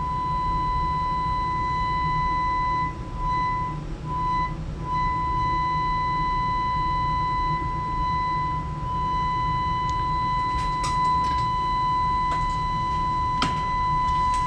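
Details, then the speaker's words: Philco Model 20 radio under restoration, new audio transformer fitted, frequency generator fed in; clean steady test tone through speaker, no hum or distortion, few clicks near end. 80 tube voltage low, 50-60 V at detector still suspect. Normal audio output. "hey we got output I have the frequency generator into it again"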